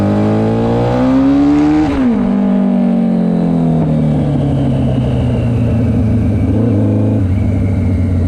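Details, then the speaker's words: GS750 four-cylinder cafe racer on its first ride after a carb rebuild, dyno tune and new custom exhaust: revs rise smoothly and cleanly through the gears with even firing and no knocks or misses. A healthy engine pulling strongly, quicker than expected. "Alright, that's quicker than I thought. Not bad. Sounds sweet as well. Sounds like a jigsaw, hey?"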